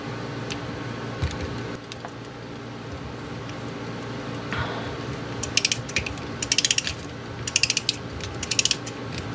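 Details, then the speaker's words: Antique Japanese Seikosha wall clock movement during teardown, mainspring being wound with a key: crisp, sharp ratchet clicks in quick bursts as the click catches cleanly; normal click holding the mainspring. "So we're going to fully wind this. And as it winds, you can see the click."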